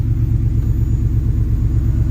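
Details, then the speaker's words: 1971 Ford F100 XLT Ranger with 6R80 transmission, first start after torque converter repair: deep, steady idle with even pulse, no ticking or knocking, much quieter than before; engine healthy. "Just listening to the motor, there's no ticking. It's a lot quieter. This sounds really good."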